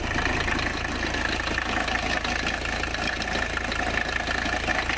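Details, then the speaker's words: Abandoned 1985 Mercedes 300CD diesel just after a cold start (ether-assisted, strainer cleaned): loud, rough but even idle clatter, noisier while cold; normal running. "yeah a lot noisier when she's cold"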